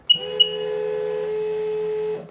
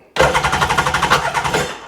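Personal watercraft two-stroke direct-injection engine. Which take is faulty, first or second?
second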